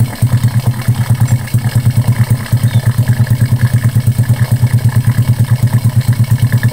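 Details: Honda Karisma single after repair for white exhaust smoke and rough piston noise (piston replaced, valve setting): even idle at about three beats a second, smooth and steady, with no tapping or clatter.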